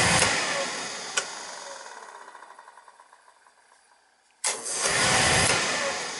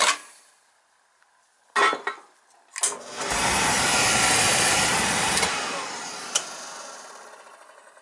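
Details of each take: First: Beckett oil burner on a boiler that kept tripping out on safety, with a weak transformer already replaced: after a quiet pause it lights at once with a sharp whoosh, then holds a steady, even roar; clean ignition, no hesitation. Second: Beckett oil burner clicks, lights with a roar that slowly dies away, then trips out on safety lockout; primary control suspected bad.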